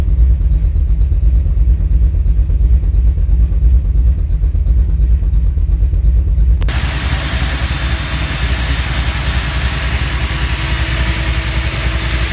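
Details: Small-block Chevy 357 V8, XE274 cam, Vortec heads, 350 turbo with 3k stall, 3.73 posi; loud uneven lumpy pulse stumbling around 2500-3000 rpm under acceleration, eventually cutting off; idles fine; new cap, rotor, plugs, wires, timing checked, no vacuum leaks found; owner suspects valve or compression problem.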